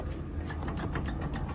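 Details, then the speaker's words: Spinning wheel with excessive play, axle moving around and rubbing the inside of the knuckle, gives a rhythmic scraping tick over a low rumble: bad wheel bearing with axle rubbing. "So the wheel's spinning, but as it's spinning, it has a lot of [ __ ] play. Look at that. So the axle's just [ __ ] going everywhere and it's rubbing onto the inside of the knuckle."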